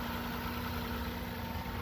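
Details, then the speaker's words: 2011 Ford Taurus just after replacing the corroded battery cable harness (positive, negative, starter and alternator); fired right up and settles into a steady, even idle with a smooth low rumble, no knocks, misses or squeals. Normal idle. "sounds like a dream fired right up though"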